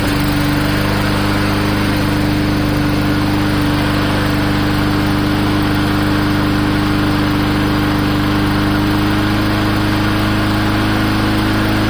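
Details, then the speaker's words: Old free walk-behind mower, small single-cylinder engine, safety handle clamped and more tension put against the governor to raise rpm: steady raised speed with an even beat and no misses; runs pretty good. "I don't know if you could hear that but it was increasing as I was pulling on it so I'm giving it more tension against the governor runs pretty good"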